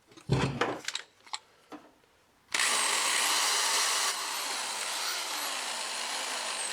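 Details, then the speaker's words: Old drill driving a wire wheel to clean metal before seam welding a 1976 Celica RA24: a few knocks, then a harsh, rough grinding whirr instead of a clean hum; worn-out bearings, and it earlier made a loud squealing. "Yeah, you can kind of hear it's not happy. I don't think drilling is supposed to sound like that."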